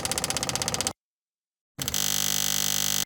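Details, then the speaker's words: Homemade WW1 mini Jenny JN4 replica airplane, unstarted for 13 years, electric fuel pump jumpered to a battery. Quick clicking about four times a second, then a steadier buzz as fuel arrives; normal priming, though fuel leaks once full. "you hear the change that means fuel is getting in there we're just gonna let it go until oh there's some fuel"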